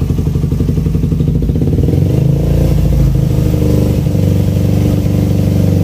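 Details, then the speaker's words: Suzuki Satria FU with a racing exhaust, after a carburetor rebuild, a 17.5 pilot jet fitted and an exhaust leak repaired: deep, even, soft bassy exhaust beat that swells smoothly on revs and drops cleanly; runs properly. "Setelah diganti itu suara anginnya juga lebih enak, lebih stabil, lebih cocok dengan sinar knalpotnya. Ciri khas dari airline ya, lembut, ngebas."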